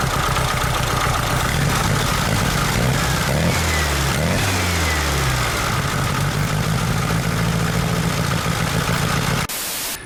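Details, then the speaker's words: VW Super Beetle Volksrod, air-cooled engine just started cold with a wet cap, idling a little shaky with a light knock from outside the engine; loosening the alternator belt shows the alternator pulley isn't attached properly, loose alternator pulley knock. "was hearing a little knocking it sounded like it was coming from the outside of the engine and that's what it is here i loosened up the belt on the alternator it looks like the pulley isn't even attached properly"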